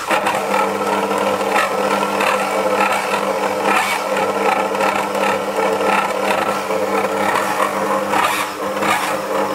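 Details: Dualit 88013 desktop mixer kneading 500 g flour and 300 ml water, within its rated maximum, on first use. Motor hums with irregular clattering bursts, straining, surging and skipping speeds; a replacement unit sounded the same.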